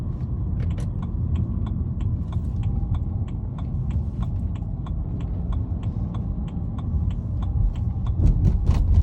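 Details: BMW E90 318i manual, 90k on the clock: light, even metallic rattle like balls clicking, at low revs only when accelerating in gear, absent at idle or revving in neutral; unexplained, owner fears the gearbox.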